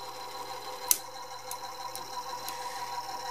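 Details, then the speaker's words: Harman/Kardon CD 91 cassette deck, opened up and partly repaired, running its transport. A thin steady whir with light irregular ticking, sounding vaguely like a diesel engine. Noisy transport motor; owner suspects the belts, and the motor may need reworking or replacing. "of course obviously I figure this thing is not supposed to sound like sound vaguely like a diesel engine like it does now so some of that I think is related to the belts"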